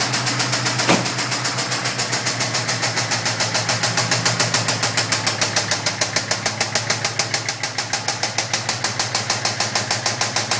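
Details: Brand-new FRPP Coyote V8 crate engine in a Fox body, broken in gently over 300 miles, then knocking after one WOT pass; sharp, steady knock about three taps a second at idle, seemingly from the passenger-side cylinder head, worse in person.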